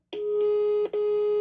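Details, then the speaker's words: HDL intercom/door-station central after its power supply was repaired; dial tone checked by touching a cordless speakerphone's lead to the extension terminals. A steady, clean mid-pitched tone is heard apart from handling clicks, so the line works normally. "Agora se eu encostar aqui tem que ter tom. Beleza."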